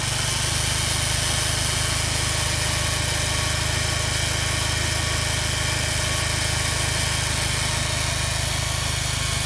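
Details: Subaru Impreza STI GRB at idle: steady low pulse with a constant hiss and whir on top from the AC compressor; abnormal noise at idle.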